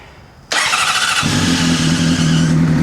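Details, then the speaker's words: Honda CBR600RR that would not start after a fuel pump replacement, first cold start after fixing it; the whole problem was one O-ring: brief crank, catches at once, smooth even idle; healthy start. "Amazing. Absolutely amazing. One O-ring is the entire problem with this."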